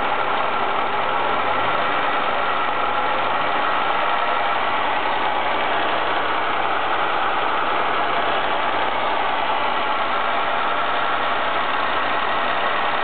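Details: Ford ST220 petrol engine idling after TSB 24/2009 camshaft bearing cap repair; steady even hum, earlier rattle gone, normal idle.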